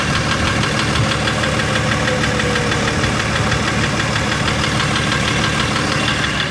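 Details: BMW M57 3.0 diesel idling, knock appeared right after injectors removed (three seized, pulled with slide hammer), one replaced, one adjusted, wells reamed: hard regular knock about three a second, tracking engine speed; drives normally, slight black puff at full throttle; cause unknown.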